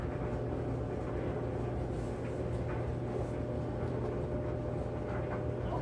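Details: Kenmore 80 Series electric dryer after a drive motor replacement, loaded with wet towels: a steady low hum with an even drum rumble and no knocking or squealing; runs smoothly.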